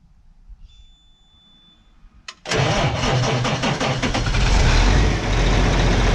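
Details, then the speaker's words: 2003 New Holland TJ375 tractor on three batteries: starter engages with a heavy, even chug at about three and a half beats a second but the engine never fires; crank no start, owner says the starter motor is fried. "The engine will crank because, as you've heard in multiple clips, Big Blue will try to start, just not fire."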